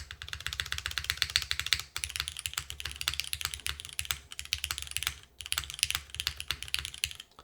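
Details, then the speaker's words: KBDFans TOFU TKL keyboard with Cherry MX2A Black switches and GMK Sloth keycaps: fast typing clatter with a hollow knock beneath; owner suspects the top case is impacting the aluminum plate, unconfirmed. "I think something's impacting the top plate, if I'm being real with you guys. I think that's actually what's going on, is the top case is impacting the aluminum plate."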